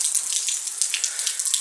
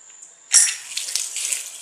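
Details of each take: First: Washing machine that fills until it overflows: continuous hissing rush of water through the inlet valve when it should be shut; both inlet valves are leaking, one possibly more than the other. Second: Washing machine inlet valve tested: a sharp click as it is powered, then a steady water hiss, and it cuts off cleanly when switched off, so it is operating normally.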